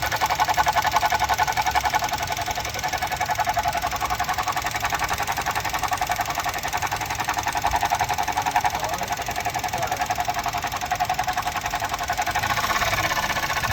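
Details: 2018 Suzuki Jimny: a steady tapping about four times a second rides over the running engine from the back left area. It started last week and comes and goes, lasting from seconds to minutes. Cause unknown.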